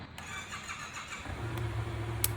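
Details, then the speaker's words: 2015 Yamaha FZ-07 motorcycle in neutral after fitting a new battery to replace a bad one: brief starter whir, engine catches and settles into a steady, even idle; check engine light went off after a rev, so the new battery works. "actually after the rev the check engine light went off so that is good that means this new battery is working properly"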